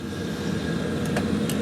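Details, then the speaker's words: Boiler burner just fired on service, pressure being worked up toward 20 bar; short steady burner roar with faint fan hum, no surging or sputter; firing normally. "d fire press start again there we go so now it's fired so what I'm going to do now is I'm going to increase"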